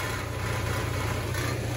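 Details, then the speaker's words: Nissan Xterra idling, recorded underneath: dry, buzzing rattle from the exhaust heat shield whose holding bracket/clamp is broken; fixed by replacing it with a plumbing clamp. "right up there you have a bracket that is broken that holds that heat shield and that's what we're going to be replacing here shortly"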